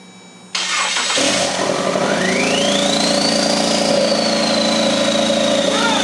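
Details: Ford Fusion converted to RWD with EcoBoost swap, engine on stand in bay using factory harness, jump box and charger attached, oil in cylinders; short crank then catches and runs steadily, whistle rising with revs: first start.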